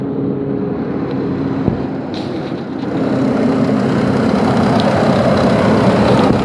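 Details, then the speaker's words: 2006 Nissan Frontier Nismo King Cab, cold start at −2 °C: loud steady rushing hovercraft-like fan roar that swells, louder with throttle, fan always at max; fan clutch suspected though fan spins freely by hand when off. "now when I turn it on there's a sound it just goes into overdrive and this sound like a freakin hovercraft"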